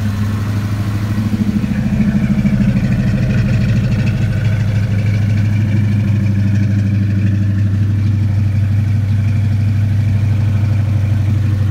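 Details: Ford Mustang 5.0 V8 with Trick Flow cams and a makeshift cold air inlet, first start in a long time: a deep, steady, even V8 burble at idle with no misses or knocks. It idles smoothly and healthy, like a kitten.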